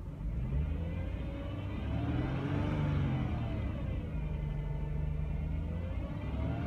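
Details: 2006 Chrysler Crossfire base, manual, 91,000 miles. A thin "wah"-like whine from the engine bay rises and falls in pitch and loudness with engine rpm as the engine revs. Cause unknown to the owner.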